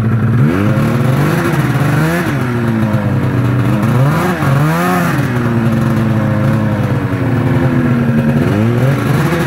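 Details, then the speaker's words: 1999 Arctic Cat ZR 600 EFI with an old, loose 3-wire throttle safety switch: two-stroke revs rise and sag unevenly, the note dropping away as the throttle opens, until the engine dies; faulty switch is cutting it out. "Um, basically it'll start making the engine cut out. There's a safety switch in there so that if your throttle sticks, it will shut the motor off. But when they get old, the switch doesn't work right anymore and uh it'll cut out on you."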